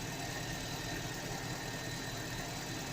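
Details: Car engine at idle after silicone grease applied to inner and outer surfaces of squealing alternator/accessory ribbed belt in cold weather; steady even hum, no squeal or chirp; belt now quiet.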